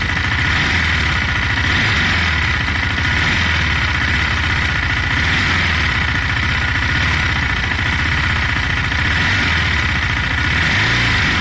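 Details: 2018 KTM Duke 390 single-cylinder, 8,500 km, engine running with a light metallic tick riding over the engine note, clearest when decelerating; noticed for 4 months, cause unknown.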